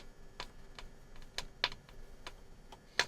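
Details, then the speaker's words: Transistor radio, first switch-on from a current-limited supply set near 200 mA: irregular sharp crackles and pops over quiet background, amplifier doing something but radio section unconfirmed; crackling on switch-on. "now as you hear we have crackling noises"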